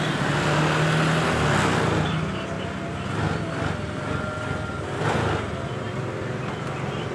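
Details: Honda Vario 125 scooter with a wiring fault (ignition on but starter, horn, turn signals dead), after repair and reassembly: small single-cylinder engine idles on a steady low beat and keeps running while the wiring is wiggled; no cutting out.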